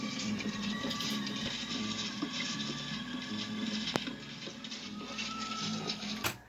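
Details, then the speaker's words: Sony Betamax SL-5200 Hi-Fi VCR playing a test tape, loading belts working and video head spinning up: hissy, warbling output with steady tonal whines. Failing capacitors are suspected, not confirmed. "hear the video head spin up oh look at that that sounds like those bad capacitors really yeah"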